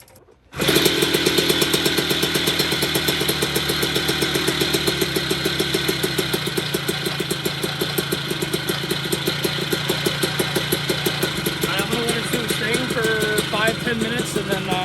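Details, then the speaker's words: Puch Maxi vintage moped with a 70cc kit, second heat-cycle run after first start-up (it died earlier from too much gas): crisp, regular two-stroke popping at a steady idle without stumbling; normal idle. "i just had the bike running and everything sounds really good especially at idle"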